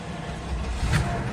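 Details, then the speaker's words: Flooded Cadillac DeVille Northstar V8 fires right up after sitting: uneven rumble with a little misfire, typical when it hasn't run for a while; check engine light on. "Fired right up. Little misfire. Very typical on a North Star if they haven't ran for a while."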